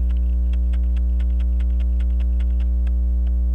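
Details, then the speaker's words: Waltham Appleton Tracy 18-size 15-jewel pocket watch after quick hairspring collet tightening and regulator pin fix: crisp ticking about three per second over low hum, slightly uneven, not quite in beat, needs fine-tuning; running. "it's a little off yeah it's not in beat it's just a little bit off"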